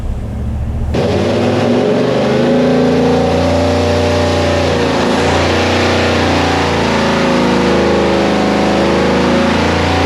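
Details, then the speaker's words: Big block Chevy 489 on dyno, after reshaping plug boot contacts on front passenger-side cylinder: loud sustained high-rev roar with uneven stumbles mid-pull; high-rpm misfire, cause suspected, not confirmed. "Nick is still trying to get the front cylinder on the passenger side working."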